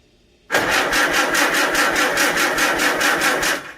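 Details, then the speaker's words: Farmall Super A tractor after magneto rebuild and retimed ignition, a bit more throttle then a little choke: catches at once into an even, quick chuffing beat without stumbles or misses; sounds much better, timing believed right. "Alright, that sounds much better. I think I got the timing right this time."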